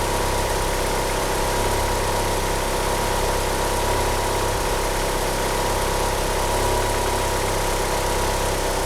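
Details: Car with 850cc injectors and a slipping steering pump belt, unable to rev up: uneven lumpy idle beat under steady hiss and faint whistle; rough idle, cause not found.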